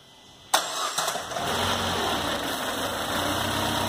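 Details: Citroën C4 hatch 2010 2.0 at 50k service (heat exchanger, belt kit, steering fluid) restarted after timing belt job: quick crank, clean catch, then smooth steady idle with no knocks or misses; healthy.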